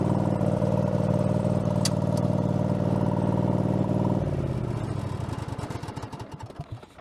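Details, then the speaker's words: Craftsman garden tractor with a Kohler engine badged 22 hp (possibly really 18 hp), after a mower deck blade spindle replacement with no spindle play. Deck engaged: smooth, steady engine note, blades turning, no knock or grind, clean wind-down; normal running. "But let's go ahead and see what happens when we fire this blade up."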